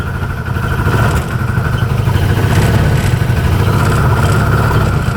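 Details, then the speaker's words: 2013 Arctic Cat Wildcat 1000 UTV, dealership reported no power, bogging, stalling at idle: idles fine but breaks up badly with a little throttle, stumbling irregular firing, then shuts off. "oh yeah it's breaking up pretty bad oh and it shut off yeah it does not like that"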